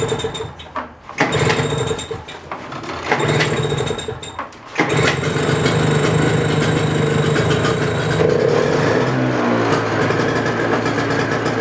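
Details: Toro snowblower in about 26°F cold after carburetor cleaning repair for stale fuel from summer storage, primed and choked: a few sputtering cranks, then catches and runs steady and even; runs healthy.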